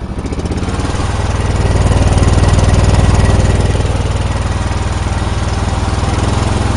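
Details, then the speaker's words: John Deere engine at steady idle: thumping about four pulses a second, slightly uneven; owner first suspected engine, now suspects the muffler, unconfirmed. "I thought something was bad in the motor but now I'm thinking it's the muffler from the bed"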